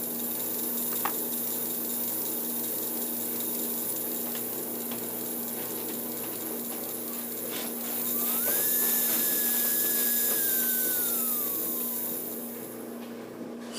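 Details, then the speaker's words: JR's Mantua 4-6-2 model steam locomotive motor after maintenance: motor bearings oiled and dry lube added, fired up again; soft, even small-motor hum with one brief whine rising and settling as it speeds up, much quieter, running smooth, normal. "and then we'll fire it up again. Amazing how much quieter it is"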